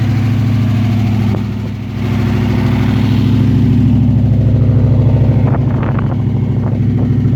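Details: TVR SEAC Wildcat 5.3 at idle: lumpy uneven idle with a low beat that stumbles and dips; misfire, cause not yet clear.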